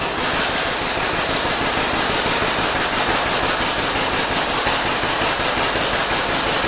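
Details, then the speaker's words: 1947 John Deere B two-cylinder tractor, running before its plugs were changed. Steady run with an uneven, lopsided beat and missing pulses; it was running on one cylinder, and the plugs were replaced afterwards. "I had a couple people tell me it sounded like it was running on one cylinder"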